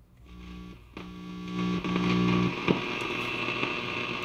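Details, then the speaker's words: 1947 tube radio receiver, largely original, run at reduced voltage through series bulbs: low steady hum under static hiss, weak signal fading in and out; little hum, so 1950 filter capacitor still works. "turn that down there's almost no hum in this radio that means that that filter capacitor from 1950 is still working well"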